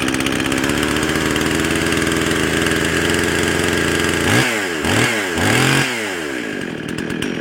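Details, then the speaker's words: Husqvarna 55 chainsaw, started on half choke: a high, screaming two-stroke racing with sharp revving blips, about 13,500 rpm and still climbing. Running too fast and lean from an air leak at the carburetor gasket. "oh sounds like she's running a little bit fast"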